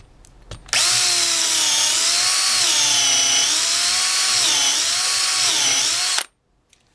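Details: DeWalt DCD710 12V two-speed drill/driver on 2.0Ah battery, dull used number-10 countersink bit: steady high motor whine sags slightly and recovers as the bit bites, then spins back up; handles the load fine.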